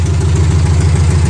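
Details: Minitruck just got running after troubleshooting, open straight header: fast, even popping idle, steady beat with no misses or knocks; engine running smoothly.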